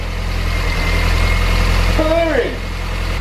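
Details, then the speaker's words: Mini R53 Cooper S, first start after a home engine rebuild: rattly at first, believed just the timing chain flopping before tension came up, then a steady even low idle with no chain rattle, brief chirp partway; engine management light on, cause unknown; normal idle. "sounded rattly at first but i think that was just a chain flopping the tension is gone we're idling"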